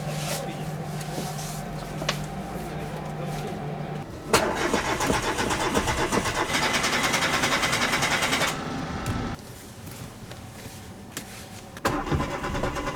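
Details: Chevrolet Matiz that is often hard to start: starter churns steadily for about five seconds with an even chug, then stops; engine never catches. Extended cranking, no start.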